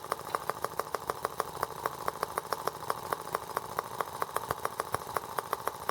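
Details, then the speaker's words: R18 model engine on first start with a replacement Hall sensor harness; ignition now sparks. Sharp ticks about five a second over a thin hum, beating unevenly, running rough and shaking out of balance. Owner suspects an empty water reservoir, not confirmed. "Yeah, now I have a serious balance problem. I wonder what the deal is with that."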